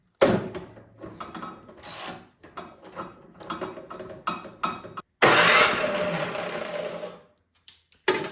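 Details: Toro PowerMax 7240E snowblower, used once then sat 4–5 years with gas in tank, fuel valve turned on, good spark confirmed: short cranking bursts then a longer spin with no catch or firing; cranks but won't start, old gas clogging carburetor suspected.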